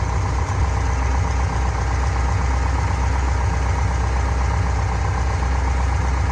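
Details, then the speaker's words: Fuel-injected Corvette V8 idling after adjusting the valve lash on one rocker and securing the lock nut: steady low rumble with an even beat and no ticking or clacking; valvetrain sounds healthy. "could it be i'm not hearing any clacking anymore"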